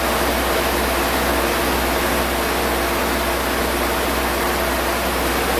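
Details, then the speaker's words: Spray foam rig air compressor powered by the generator, started with its push button and run for a few seconds; steady, even rushing hum holding constant with no knocks, rattles or surges. Normal air compressor running. "I will push the start button on the compressor, fire it up. We'll let it run for a few seconds."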